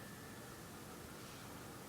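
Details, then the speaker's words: PlayStation 3 after new thermal paste for overheating shutdowns and rising fan noise: steady, even airy whoosh with no ticking, rattle or surging; fan runs smoothly, cool air from back. "I don't you heard the fan it's running smoothly and it feels cool the back I'm feeling cold air"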